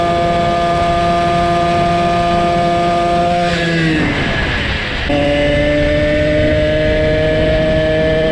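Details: Motorized bicycle two-stroke engine with $20 chainsaw-type pumper carb, after pulse port setup and tuning: even, steady buzz holding a clean pitch, one brief throttle dip and recovery; running smoothly, nearing 300°F.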